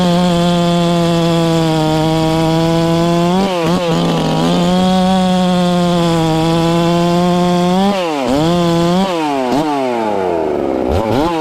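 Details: Ported, newly tuned Farmertec MS660 two-stroke chainsaw with stock out-of-box chain cutting cookies: high scream dips briefly as the chain bites, recovering quickly each cut without stalling; normal operation under load.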